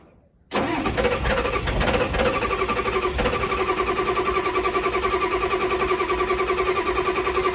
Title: Super hard start lots or cranking